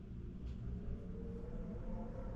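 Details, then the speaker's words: Home central air conditioner not cooling: indoor blower fan on continuous runs normally with an even hum and steady airflow, no rattles; outdoor unit not running, temperature not reached. "you can hear the fan kick on the air conditioner runs well the fan part runs great cool"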